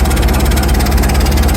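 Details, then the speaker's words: Rolls-Royce Silver Shadow idling after refuelling an empty tank: sharp, rapid puffing chuff with each firing pulse; exhaust leak, owner hopes not the headers. "oh well there's an exhaust leak somewhere here let's see it sounds like it's from this"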